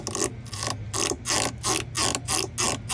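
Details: Whirlpool/Amana/Maytag appliance part turned by hand with the belt being removed: rough, scratchy rasping pulses about three times a second. A dry roller or idler is suspected, not confirmed; it was to be cleaned and the belt refitted.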